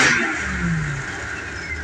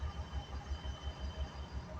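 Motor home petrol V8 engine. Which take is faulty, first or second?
second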